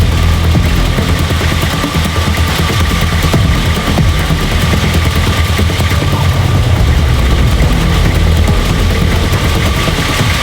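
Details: Nissan GQ Patrol diesel after first start in 3.5 years, no coolant: heavy, steady roar at high speed that won't let up even after fuel disconnected and intake covered; engine keeps running, cause unknown.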